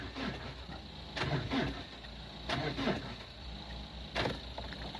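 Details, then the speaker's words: 2002 Renault Clio diesel parked about 3 years: three short sluggish cranking bursts about 1.5 seconds apart, none catch; owner suspects weak connection on the positive. Weak cranking. "I don't think I've got a strong enough connection on the live live on the positive tried to go then though"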